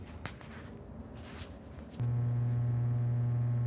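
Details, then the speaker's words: EPD / Peter Dahl plate transformer with changeable primary and secondary taps, at power-on: silence, then a steady low mains hum of even, unchanging pitch. Normal transformer hum. "I don't know if that's translating to the phone or not but it's a humming so just listen for a second this Transformers in a state of flux"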